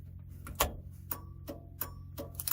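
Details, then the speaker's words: 1968 VW Bus after engine-fire rewiring, new blinker module installed: crisp relay clicks at roughly eighty-five flashes a minute, even rather than super fast. Normal turn signal flasher clicking. "got a nice ding ding ding ding ding ding instead of a d super fast um apologize for my sound effects"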